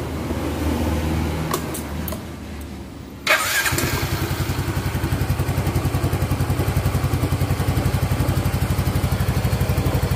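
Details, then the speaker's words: Yamaha Mio GT125 after diasil cylinder rework with new liner and a Vario 125 FI piston, first start after assembly: brief starter whirr, then an even, steady idle thump with no knocking. Healthy running. "cukup halus teman-teman ya cukup halus tidak ada benturan sama sekali"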